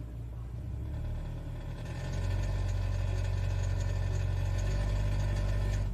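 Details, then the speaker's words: Toyota Etios in Drive with handbrake on and foot on brake, accelerating slowly to reproduce a fault: steady low drone that swells as throttle opens, with a faint rough edge; engine noise under load, cause unclear. "então esse barulho aí pessoal que é o eu esqueci o nome que eles dão aqui"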